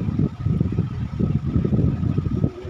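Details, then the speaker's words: Sony automatic washing machine whose motor only hummed and wouldn't turn, after capacitor replacement and belt refitted, on spin dry: strong, steady low rumble with faint constant motor hum; motor now has power, normal spin. "na kaya niyan na lumakas na ung motor ibig sabihin ah lumakas na ung ano ng pwersa ng motor nung palitan natin ung capacitor"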